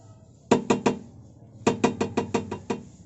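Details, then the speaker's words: Toyota Avanza rear: hollow clunks in quick bursts, about six per second, engine off, simulating rough-road driving; exhaust swinging on its worn rubber hanger, knocking heard under and behind the rear cabin on bad roads. "itulah suara yang timbul sebagai baik sobat itu adalah simulasi user waktu kita di jalan jelek"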